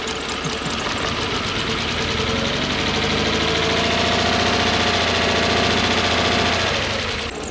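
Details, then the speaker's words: Toyota 1UZ-FE V8 (Surf/4Runner) running on about half its cylinders before coil replacement: lumpy, uneven idle with a stumbling beat about four per second; misfire from failed ignition coil. "And see, it's sitting here running on 3 cylinders quite nicely. Amazing, eh?"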